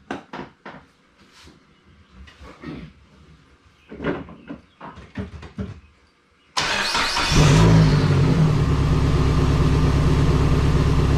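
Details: Turbo Dodge Neon SRT-4 first start after AGP front-mount intercooler, BorgWarner turbo and timing belt work, codes stored; engine catches and settles into uneven, lumpy idle with irregular stumbles; rough running on start, cause not confirmed.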